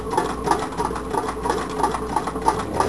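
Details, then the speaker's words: Homemade tin-can Stirling engine running slowly, light even clicking about three beats a second, steady. Owner hears the displacer catching at the bottom and figures it is not coming up all the way, blaming a short displacer crank lobe. "let it run a while I can hear the display should catch at the bottom what I'm figuring it's not coming up all the way"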